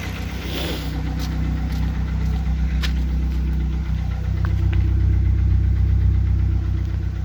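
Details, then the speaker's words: 2004 Mazda Tribute/Ford Maverick 2.3 L3-VE, warm idle: dull, fairly steady knock of about 158 a minute that starts once warmed. Chain, sprockets, tensioners and plugs were replaced and oil pressure is fine; some suggest crankshaft or camshaft, but the source is unconfirmed. "вот начинает постукивать"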